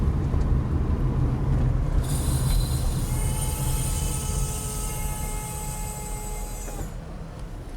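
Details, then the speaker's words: 1999 Honda Accord EX V6 sedan on a test drive: a high, steady whistling, humming squeal sounds under braking over the road rumble. The right rear brake is suspected; the inner pad is worn to its wear indicator. "can you guys hear that it does sound like a whistling and a humming blowing air sound that's how it was described"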